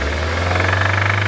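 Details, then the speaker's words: Mazda MX5 mk3 NC with a known engine problem, no exhaust smoke; steady low drone fine at idle but fast even tapping about ten per second when revved; concerning knock, cause unknown, may need new engine. "However, give it a little rev. I think we get a slightly concerning noise."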